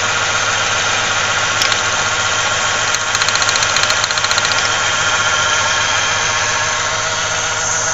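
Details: 1995 Ford Ranger Splash 3.0L V6 at idle: loose, uneven pulse with shake underneath, heavy vibration and strong gas smell; rough idle, misfire suspected, spark plug wires being checked.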